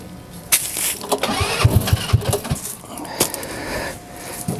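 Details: TW200 Trail Wagon Runabout 4x2 kids UTV, after carburetor cleaning, battery shot: several quick cranking pops and sputters, then the small engine catches and keeps going; starts and runs.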